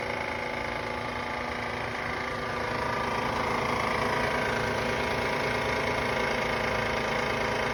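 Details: Van at idle: steady idle with a faint regular tapping about three times a second over the engine hum; abnormal noise, cause unclear.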